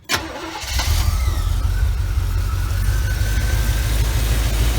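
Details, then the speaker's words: 1975 Chevy Camaro V8 after fouled spark plug replaced or cleaned: catches and idles smoothly with steady, even low rumble, no skips; grounding number 1 plug during load test now slows engine, firing on all cylinders. "Definitely firing on all Chevrolet cylinders now."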